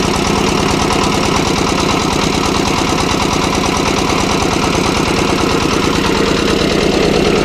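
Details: Kirloskar air-cooled diesel (10 kVA generator / concrete mixer engine) just fully rebuilt and bled of air: steady, even chug at constant speed with no knocks or misses; running smoothly and healthy.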